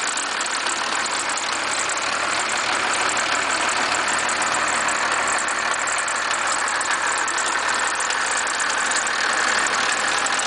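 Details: 1991.5 First Gen Cummins 12-valve diesel at cold idle after a -10 cold start: a sharp, uneven rattling knock about three a second. The owner cannot pinpoint the source.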